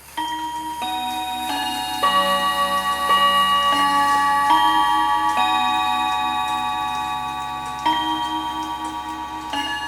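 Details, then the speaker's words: Hamilton carriage clock with balance escapement, needing oiling and escapement repair, chiming on demand; clear evenly spaced bell notes over a steady tick, full chime tune playing cleanly, healthy strike train. "So it's a very nice sounding clock."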